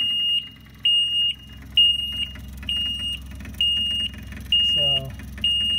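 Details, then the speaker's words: John Deere 997 diesel zero-turn losing power and stalling, key on without starting: regular high alarm beeps over a low steady buzz from the electric fuel pump, showing it's powered and pumping. "one thing you can do to check the fuel pump see if it's even working or operating is to turn this on you'll hear the alarm but you can also hear and feel the fuel pump vibrating which tells you at least it's getting electricity and pumping"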